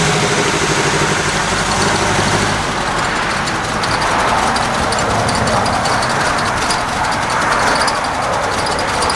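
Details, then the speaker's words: Carbureted Ford Capri in cold December weather, choke previously backed off and idle mixture leaned out, now idle speed raised and mixture tightened: lumpy, uneven loping idle, settling slightly better; still rough, cause not yet pinned down. "I bought my idle up a little bit this thing's salty at idle I'm saddling a little better I bumped up the idle speed and tightened up the idle mixture a little bit"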